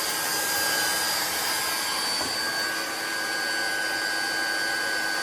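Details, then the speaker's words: GX SC2/3 high-pressure compressor pump (about 100 to 300 bar in 5–6 minutes), just started: a smooth steady rush of air with a faint constant whine, no rattles or wobble. Cooling fan running normally. "I'll plug it in. It'll start up straight away. The fan will come on."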